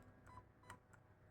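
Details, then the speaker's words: Zius BK1S/BK2S blaster with T238 electronic trigger: faint double beep on trigger pull, signalling a piston or pusher anomaly has locked it as jammed until cleared and reset. "so at this condition if I pull the trigger right right it will just give two beeps to indicate that the Blaster is now Jam please clear the jam"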